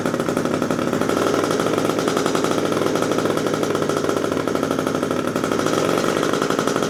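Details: Freshly built PM Tuning 172cc Gilera Runner two-stroke Piaggio scooter engine, second start, barely warm at about 100 degrees, coolant not yet bled: fast, even crackle at a steady idle speed, no hunting or misfires; running clean.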